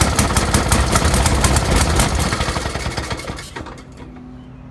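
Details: 1916–1918 Maytag 1/2 hp single-cylinder engine, first start in years after flooding, with the air mixture being adjusted: fast, fairly even sharp popping near three beats a second, fading as it slows; firing normally.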